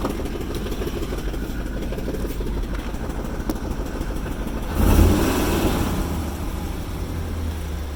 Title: Rough idle